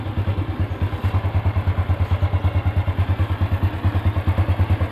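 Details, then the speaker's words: Honda Revo Absolute that wouldn't electric-start, after reconnecting the starter bendix socket wire (brown): starter catches and the small single settles into an even, steady idle with no clatter; sounds healthy. "kenanya hidup ya kita matikan dulu"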